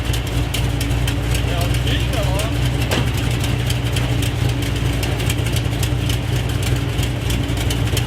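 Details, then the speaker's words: 1973 Road Runner 383 big block, automatic, on its first test drive with newly fitted exhaust: fast light ticking, about four a second, over a steady idle rumble. A nasty valve tick, not the bottom end. "I started hearing like a nasty valve ticking sound whatever I knew it wasn't the bottom end because it was like a fast tick you know"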